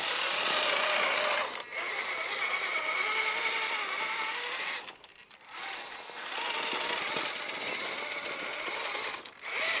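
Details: Axial SCX10 III RC crawler transmission after the fix: high buzzing gear whine rising and falling with motor speed, and the earlier clicking noise in drive mode is gone.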